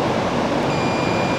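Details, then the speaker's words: Welder armature test with multimeter on ohms, probes from shaft (ground) around commutator: steady meter beep shows continuity, so armature winding is grounded; winding shows black heat marks where it got hot. "have continuity like i said before all you're doing is is going from the shaft which is ground all the way around the commentator you can hear that one beeping means it has a ground"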